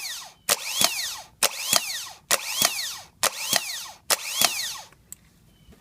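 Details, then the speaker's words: Bench test of the new replacement starter for a 2010 Toyota Sequoia that clunked but wouldn't crank (old starter's solenoid bad, not engaging): six sharp bursts about a second apart, whirring up fast and stopping cleanly, no grinding; normal operation. "all right so we got our new starter we're just gonna test it"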